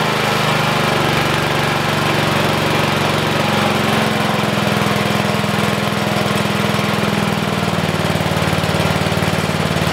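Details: 1973 Simplicity 738 riding mower, unused about two years, started first try with a new battery and the choke on, before its tune-up. The single-cylinder engine catches and settles into a steady, even putter with no misses or knocks. Normal running.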